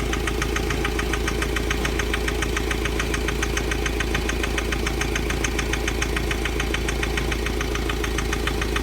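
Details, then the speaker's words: Mahindra Scorpio mHawk diesel engine at idle: sharp, even tk-tk knock about 140 a minute over steady idle; firing equal on cylinders 1–3, sound linked to EGR valve and low boost. "कोई सी भी गाड़ी लेकर चलो तो उसके अंदर अगर boost कम बनता है तो हमारी इंजन की तरफ से कड़ कड़ क इस टाइप का साउंड"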